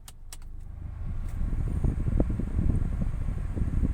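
Low, steady engine and blower rumble with no hiss or gas-rush sound over it; the air conditioning is running normally.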